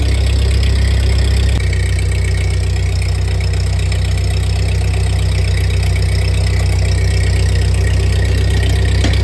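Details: 1948 Ford 8N tractor engine after a full rebuild, idling in neutral after a PTO check with the clutch released; new carburetor still needs fitting and adjustment: steady, even low idle with a smooth regular beat, no knocks or misses. Normal idle.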